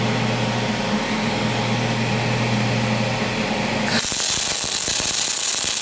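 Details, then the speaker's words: Aluminum MIG weld with a PrimeWeld MIG 285 and spool gun on a cold part tacked to an aluminum plate, heat raised above the chart: a buzz turns into harsh crackling spatter. Wire feed is too slow and almost burning back into the tip. "it you hear that spattering pretty bad I needed I should have turned the wire up just a little bit too it was almost burning back into the tip"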